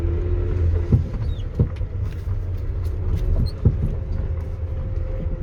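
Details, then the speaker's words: GAZelle Next with newly installed Evotech 2.7 engine, driving over bumps; irregular dull body clunks, three in a few seconds. Cause: left-wheel-side cab-to-frame mount with one of three bolts missing. "со стороны левого колеса есть подушка кузова который крепится на раму Вот он у нас вот эти есть там три болта 1 болта Нету Два болта у нас"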